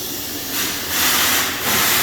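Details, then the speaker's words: Boost leak test on a turbo car, engine off, with the charge pipe sealed by a ziplock bag and ziptie and fed by an air compressor, never tested before: loud steady hiss swelling in waves as pressure builds; a serious leak low in the charge piping. "so this one's never been tested before, so we have a leak. Pretty serious leak down here."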